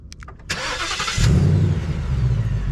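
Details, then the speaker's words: New 2020 Ford Mustang GT, warm start: a short, clean starter crank, then the engine catches at once and settles into a steady, even V8 idle; normal warm start, unlike its weird warm-start sound. "how the starter engaged normally and it started up completely normal."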